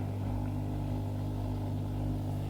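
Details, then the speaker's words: 20-year-old Hotpoint 6834 dishwasher drain pump, refitted after cleaning for not-draining fault, start of cycle: constant low hum, steady pitch, no grinding or rattle, no leaks. Drain pump running normally after repair. "we turn it onto a cycle click the start there we go it's now draining"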